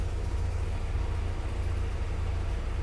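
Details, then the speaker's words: Jeep Kaiser CJ5 F134 engine, first start after new piston rings for excessive oil use, engine cold, hot day, no choke, in neutral: deep, steady, even idle with no ticks or knocks; oil pressure around 50 psi on 10W40. "There we go. It's running. It's cold right now. There we go. Running real good."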